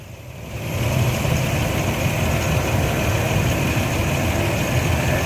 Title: Clicking Noise in Enfine then Rough Idle